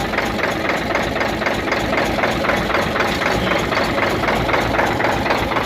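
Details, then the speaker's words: Hino truck Euro diesel at rough, lumpy idle with loud regular clatter; only cylinders 3, 5 and 6 firing, the rest dead and misfiring, found by loosening injector lines one at a time. "इसमें अभी जो काम कर रहे ना वह तीन number पांच नंबर छह नंबर ठीक है यह काम कर रहें हैं बाकी काम नहीं कर रही है"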